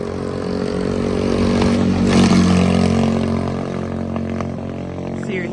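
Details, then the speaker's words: 110cc three-wheeler engine with new stainless exhaust and small flap-type carburetor, choke on: revs surge and sag unevenly, breaking up and stalling; bigger carburetor planned, cause unconfirmed. "hear a breaking up and it [Music] died sounds horrible with the choke on"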